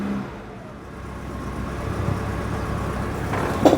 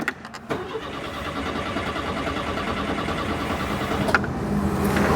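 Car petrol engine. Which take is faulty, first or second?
second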